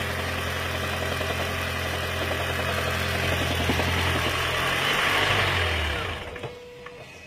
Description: Lexus CT 200h Hybrid Electric Engine 2ZR-FXE Knocking Sound during cold start due to water leakage into Intake Manifold